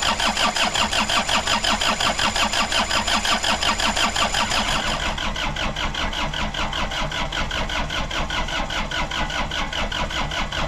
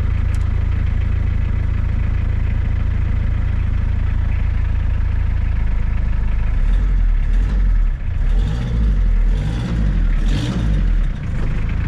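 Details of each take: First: Suzuki Samurai with Isuzu diesel swap, first start, battery weakening: steady starter chugging around three turns a second without catching; owner suspects air in the fuel lines, lift pump heard running. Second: Suzuki Samurai with Isuzu diesel, long non-running, first cold start after six or seven seconds of glow plugs: deep, steady diesel clatter and even low rumble with no misses or knocks, very little smoke; sounds tight, normal cold-start idle.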